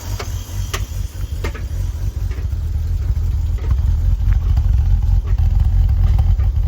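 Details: Impound-auction BMW E46 330i, very low on fuel and barely running after sitting: low rumbling idle broken by sharp, irregular pops every second or so back through the intake; lean backfire from massive vacuum leaks, likely why it was parked.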